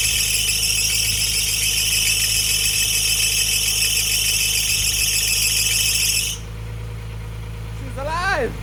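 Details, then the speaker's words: Nissan 350Z VQ35DE, first start after valve stem seal and timing chain replacement: loud, steady high-pitched squeal over idle that cuts off abruptly; owner suspects a loose accessory belt, not confirmed. "I think you guys heard the squeaking noise probably is the is one of the belts which isn't very tight so I'm going to ahead and tie that belt"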